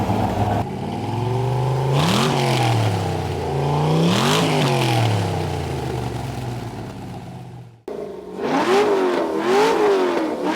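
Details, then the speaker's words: LS V8-swapped Porsche 996 warmed up with a new custom exhaust rerouted away from the starter: deep V8 rumble climbs and falls cleanly through several blips, shooting flames, with no misfire, rattle or exhaust leak; healthy. "Dude, this thing is shooting flames, man. Yeah, we're pretty good at that, so. That sounds great."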